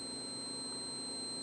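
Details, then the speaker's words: Continuity tester beeps steadily (about 4 kHz) as Chinese KTO011 mini thermostat (NC, 220V, 10A, 8 °C hysteresis, 0–60 °C range) closes its contacts with dial set near 20 °C. "ну и соответственно если меньше то срабатывает на размыкание размыкаются контакты и слышите - писка нет"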